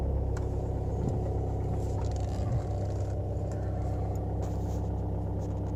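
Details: Volkswagen Passat with BMM engine, hard start: long, labored low churning cranking with a slow uneven beat of about three pulses a second that never catches; extended cranking, cause unknown.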